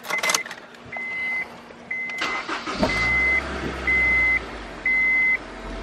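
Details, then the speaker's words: Honda S2000 after misfire check engine light, battery negative disconnected 30 seconds to reset codes: cranks, catches and settles into a steady, even low idle with a chime beeping about once a second; smoother, idle no longer high. "way better now all right car sounds way better I warm up a little bit it seems like it's a lot smoother and it's not idling that high"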